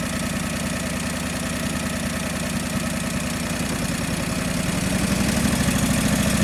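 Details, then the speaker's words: John Deere 445 twin running cold, still warming up, during coil test; uneven lumpy beat that stumbles and surges instead of settling; owner suspects cold engine running rich. "that could be why it is giving it too much fuel and that could be the issue"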